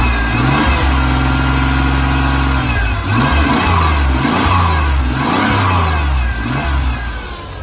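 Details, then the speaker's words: 3.0 V6 with 5-speed from a wrecked Ranger, cranked by jumping the starter solenoid. It fires and revs up and down several times, clean and even, with no smoke, no ticking and no knocking. "No smoke, no ticking, no knocking."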